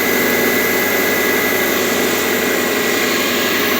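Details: Subaru boxer, 82,000 miles, cold start at 57°F: light, uneven clatter of about four taps a second that quiets as it warms and is louder in colder weather, present for 30,000 miles; owner suspects piston slap, dealer called it harmless.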